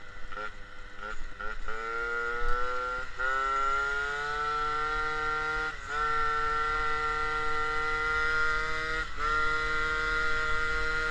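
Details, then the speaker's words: MBK 51 moped with Malossi G2R 50cc two-stroke, Dellorto PHBG 19 carb, Giannelli exhaust, air filter replaced by a Ø60 venturi: revs, then a steady loud sharp buzz with hollow intake rasp; louder without filter, mixture still seems a bit lean. "Bon, rouler sans filtre, ça fait quoi? Alors, déjà, ça fait plus de bruit. On l'entend bien sur les vidéos. Ça fait déjà plus de bruit."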